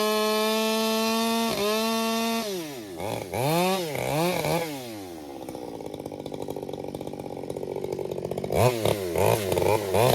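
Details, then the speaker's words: Krafterized (ported) Husqvarna 562XP Mark II chainsaw bucking oak firewood: a steady high-pitched full-throttle scream, then blips and settles to a rough idle, running clean with no four-stroking. "It's really decent about not four stroking. And I really found that they only four stroke fairly bad."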